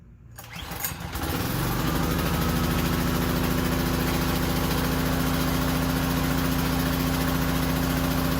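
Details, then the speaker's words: Powerstroke 2200 PSI pressure washer, cold start after repair for surging and dying: brief rough surge at startup, then settles into a smooth, steady run with no hunting, far better than before repair. "okay so it surged a little bit when it first started up but I mean it it it went away and kept running it was running way better than before"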